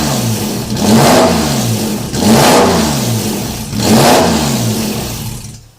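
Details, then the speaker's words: Porsche 917/10 replica with Megasquirt engine management and freshly finished wiring: three clean throttle blips, revs climbing crisply and falling evenly back to idle with no misses or knocks; runs and sounds good, normal engine revving. "alright so that's it I got brake lights it runs it sounds good"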